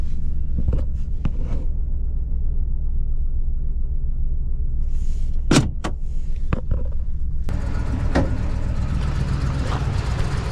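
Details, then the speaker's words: 2015 Ford F-350 6.2 V8 that suddenly ran rough while not towing, no odd noise: low, heavy idle rumble with uneven beat under door and handling noises; bad misfire, a dead cylinder from a broken valve spring. "I don't know if you could tell how rough it was running, but it's got a pretty bad misfire."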